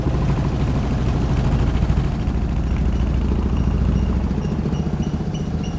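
Uneven, lumpy idle with irregular low thumps, about three or four a second, instead of a smooth beat; sounds like a misfire.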